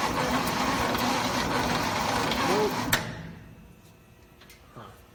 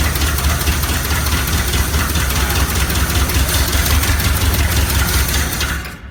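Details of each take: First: 1969 Chevy C/20 with 327 V8, sat for 40 years: steady starter cranking at about three turns a second with no firing; crank no start, no spark because a key ignition component was left out, points first suspected. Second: 1969 Chevy C/20 327 V8, first run after 40 years, muffler cut off: deep steady V8 rumble with an even beat and no knocks or misses; normal running, though the fuel pump does not work.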